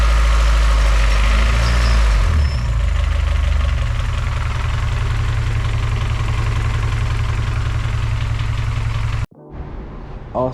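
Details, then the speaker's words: Freshly built G23/H2B hybrid engine with K-series manifold, first runs: low, lumpy idle around 600 rpm, uneven thudding three or four beats a second, then cutting out; owner says idle needs raising; rough low idle. "but it it do sound kind of rough to be honest kind of Rod kniky I need to bump the idle up"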